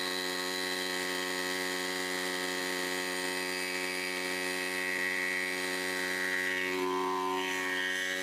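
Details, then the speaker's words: Salvaged scrap-shop right-side impeller water pump driven by a bike engine, first test run: harsh, loud, steady buzzy drone, the engine working hard and rough. Excessive pump noise, a small water leak at the air valve, and the stationary engine overheats without airflow. "பம்புல இருந்து பயங்கர sound வருதுங்க. அதனாலதான் ரன்னிங்ல இருக்கும் போது என்னால பேச முடியல."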